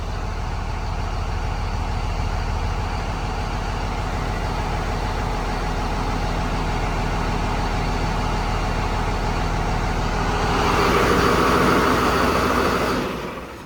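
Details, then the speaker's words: 2002 Dodge Ram 2500 24v Cummins after rebuild, valves adjusted and trans filter changed, restart: fires right off, even idle clatter with a brief rev rise and no excessive valve tapping; valves likely adjusted correctly, normal idle. "But anyway, this freaking runs fantastic. Fires right off, as you saw. Sounds good. I don't hear any excessive clatter, which means I probably adjusted the valves correctly."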